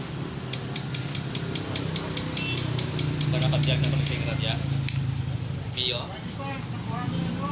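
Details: Yamaha Mio MXi 125 scooter, noisy engine, throttle revved: sharp metallic ticks about four a second above the engine; connecting rod confirmed worn. Rod and side bearing to be replaced.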